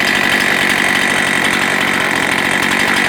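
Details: Husqvarna 272XP chainsaw with a 20-inch reconditioned bar, new chain and new sprocket holds a high, even buzz with steady pitch and no stumbles or rattles: runs clean and healthy.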